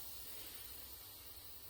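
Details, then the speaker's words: Pressure canner with tomatoes, about 40 minutes after processing, weight/gauge lifted to check: short quiet steady hiss of escaping steam shows a tiny bit of pressure remains, so wait about five more minutes before removing the lid. "i'm just going to take the gauge off again and just check that that pressure is all the way down still a tiny bit of pressure in there"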